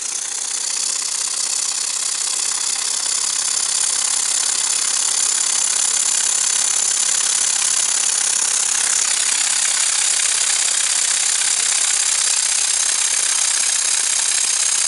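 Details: Muncaster table steam engine on a 3-inch gas-fired firetube boiler, at high pressure: loud steady steam hiss with fast, light, slightly uneven chuff; engine spinning quickly and freely.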